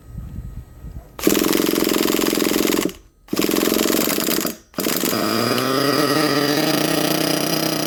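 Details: HPI Savage XL nitro monster truck with Twinzilla twin-engine kit, both motors brand new: after a couple of stumbling starts they settle into one steady, even buzz with no beating, properly synced after linkage setup; low speed needles not yet adjusted.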